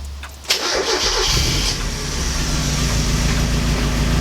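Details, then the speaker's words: NA Miata with freshly reinstalled engine and transmission, first start after correcting swapped front/rear fuel lines: starter catches at once, engine fires cleanly and settles into a smooth, even idle with no misses or knocks; normal start and idle. "let's go clutches working whoa oh my god guys this so as you guys just saw this thing started up and ran I'm so happy right now because I didn't think it was gonna work"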